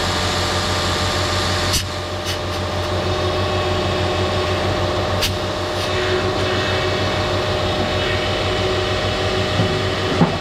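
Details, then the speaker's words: Lexus RX 330 3.3 V6 on a cold morning, after power steering hose replacement and bleeding air from the system: smooth, steady idle with an even hum and no belt squeal or pump whine; steering system quiet. "It should be good now. Nice and quiet. All good, no noise on the belt,"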